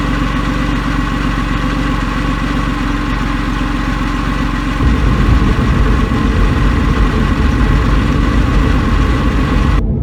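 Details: Porsche 911 996 C4S M96 engine, months after ticking attributed by owner to a sticky lifter, no repair done: smooth, even idle with steady low rumble, settling slightly deeper midway, no ticking; runs clean.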